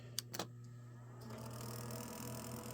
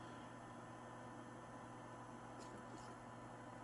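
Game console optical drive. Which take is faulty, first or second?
first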